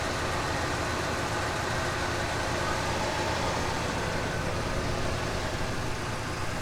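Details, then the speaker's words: Oldsmobile Delta 88 (1967 or 1975 Royale) V8 started cold, idling: low, even, soft rumble, exhaust barely audible, no misses, knocks or ticks; normal smooth quiet idle. "just wonderful magnificent engines you can barely even hear the exhaust on this car"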